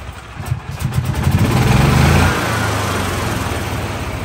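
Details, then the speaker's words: 2013 E-Z-Go electric-start gas golf cart in neutral, after repairs: engine catches, picks up over two seconds, settles into even idle about four beats a second with no misses; normal idle, though old drive belt still spinning. "started working that's awesome I really want to take it for a ride this is a success for real"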